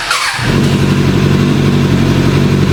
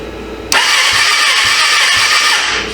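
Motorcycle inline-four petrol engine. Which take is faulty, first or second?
second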